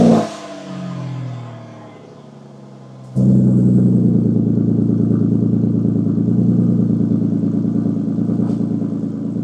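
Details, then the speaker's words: Flood-damaged Aston Martin Vanquish V12 idling while being brought up to temperature, heard at the front: loud, busy rough whirring drone over the firing note coming from the pulley bearings; new pulleys obtained from Aston Martin. "It still sounds good, but not as good because you can probably hear it sounds very, very loud and it's coming from the bearings that are on those pulleys."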